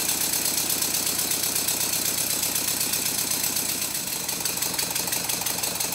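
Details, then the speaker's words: Rebuilt Stuart Twin Victoria miniature steam engine running fast, rapid chuffing about four beats a second, exhaust beats fairly even though not perfect; slight remaining knock suspected as connecting rod side slap. "in this clip the beats are fairly even not perfect but even enough"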